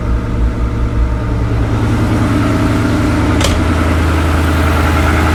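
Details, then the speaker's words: Rebuilt Ford Coyote V8, first start after a spun rod bearing, with new timing chains and no coolant yet: an even, steady idle with a smooth low beat and no knocks, ticks or misses. Oil pressure about 80 psi; sounds healthy. "hopefully make sure we don't have any leaks here so far it's sounding pretty good got about 80 lb oil pressure o she sounds good wasn't missing or anything"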